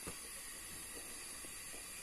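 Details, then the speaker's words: 3 kg LPG cylinder regulator refitted after stove would not light: steady soft hiss of gas flowing freely through the regulator to the stove with no sputter, meaning gas is now getting through; supply normal. "sudah terdengar suara Jazz itu berarti sudah masuk"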